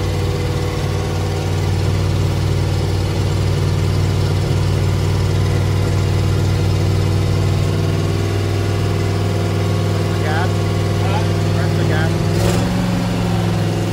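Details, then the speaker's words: Freshly rebuilt carbureted "Frankenstein" truck engine: a steady low drone held at a fast, raised idle that never drops, because the idle control is set too far and over-accelerated; the idle stop needs repositioning. "So when I had it started up, this was too far. I'm gonna mess it up. Yeah, it was too accelerated, so we gotta figure out how to get it positioned right."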